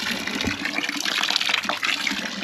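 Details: Dempster pump with trouble keeping its prime: steady splashing gush of water pouring out, no surging or knocking; pump delivering evenly.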